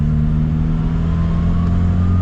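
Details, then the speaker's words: MK2 Jetta turbo diesel (about 68 hp) under acceleration, boost coming on just before 3000 rpm: strong even engine drone with faint whistle climbing as it pulls; normal, healthy turbo spool. "sounds so good too yeah I love the turbo noises"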